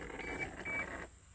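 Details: 1987 Toyota Supra no-crank, no-start, key on: two short high-pitched beeps then silence, no cranking; owner suspects anti-theft system, beep source unknown.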